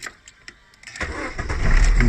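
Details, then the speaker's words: 2000 Holden Astra, 1.8 L 18XE, hard-start problem only on first morning start: warm restart catches within a second after light clicks, settling into steady idle. Normal warm start. "so if I'm going to turn up the vehicle as you can see the engine is running so the idle is somewhere in 800 guys"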